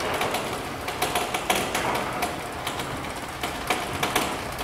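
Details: Linear garage door opener after chain tension adjustment via turnbuckle, not too tight or loose: even mechanical whir with light regular ticking, no chain slap, rattle or rubbing on the trolley; opener cycles smoothly.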